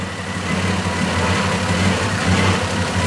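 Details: 1995 Toyota 80 series with a 1FZ-FE engine, first run after a rebuild, still smoking. Steady idle with a slightly uneven, lumpy beat, smoother than before; the rattle is the exhaust. Owner suspects old bad fuel causes the rough idle.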